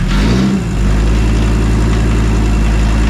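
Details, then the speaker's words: VW T4 Caravelle Synchro 2.4D AAB diesel, first start after complete overhaul, air still in fuel line, oil topped up: deep steady diesel clatter holding an even beat as it takes throttle, healthy and smooth: normal running. "Runs, but there is lots of air in the fuel line, so that's why. Yeah, but now it starts to take the gas already."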